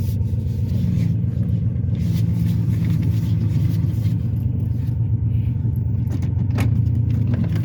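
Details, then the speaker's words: Ford Taurus, exhaust problem appearing after a shop visit, power decreased dramatically: heavy steady low rumble under the car with a coarse diesel-like drone; loud exhaust rumble, suspected exhaust leak, not confirmed. "yeah that other shot they did something to my exhaust so now my mechanic over here he's gonna try to check it out and see exactly what's going on with the exhaust"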